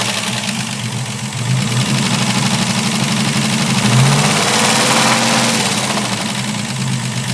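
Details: Capri engine running and revving with a rough, gritty grinding layered over it that rises and falls with revs; source not yet pinned down.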